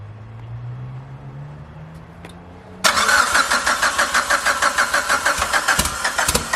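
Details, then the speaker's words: First start after FP Red turbo install with open downpipe (no downpipe fitted): short crank catches into a loud, crackly, unmuffled idle with even pulses about three per second; sounds like a drag car, runs fine, no leaks. "Sounds like a drag race car. Yeah. That's how they should be."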